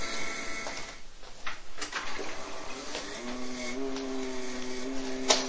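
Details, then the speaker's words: PC water-cooling loop being filled: whirring pump with gurgles and wavering tone that drops lower as air is pumped out of the system; noise caused by air drawn into the pump. "And as you can hear now, the voice of the water cooling system is lowering considerably as the air is being pumped out of the system. You will not have any air going into the pump, which is causing the noise."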